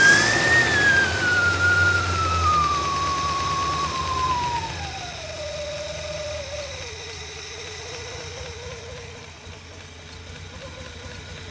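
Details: 1964 Studebaker Avanti R2, Carter AFB carb after needle-and-seat and accelerator pump work, supercharger intake off, before warm-up: revs wind down smoothly from fast whine to steady even idle, no misses or knocks. Normal running.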